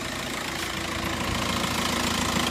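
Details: 2006 VW Jetta TDI at idle, clutch pedal pressed: harsh irregular clicking and clattering, pedal vibrates, goes hard and won't reach the floor. Teardown found the clutch broken into pieces. Broken clutch.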